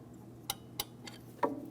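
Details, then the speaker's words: 2003–2008 Toyota Matrix rear drum brake during shoe replacement, adjuster worked with a screwdriver: three crisp separate clicks in about a second over a quiet background. Star-wheel adjuster lever ratcheting normally. "That's the sound of our adjustment lever doing its job."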